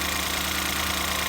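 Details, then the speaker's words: 2014 Ford Escape 1.6L, first start-up after head gasket replacement: smooth, even idle with steady low hum, no knocks or ticks; sounds quieter and a whole lot better than before, healthy. "That's so weird. A whole lot better. I didn't hear it when it was sick, but it sounds good now. Sounds fine now."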